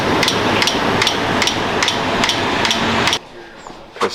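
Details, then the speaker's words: Toyota Tundra running: sharp, even ticks two to three per second, changing with engine rpm, from a torn serpentine belt missing a full rib and skipping pulley ribs near the tensioner, alternator and power steering area. "Um here's a piece of that belt. We are missing a full rib of that belt. Um which is most likely causing that clicking noise because I did notice that the belt is jumping from rib to rib on or on the ribs of the pulleys when it's when it's on."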